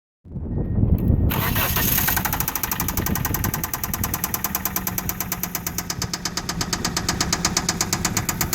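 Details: Mitsubishi petrol engine cranks, catches and settles into idle with a sharp, regular knock about three times a second.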